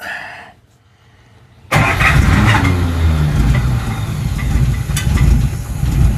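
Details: 1941 Buick Special, first start with almost no gas in the tank and that gas several years old, choke opened: the starter cranks steadily for several seconds but the engine never catches, starved of fuel.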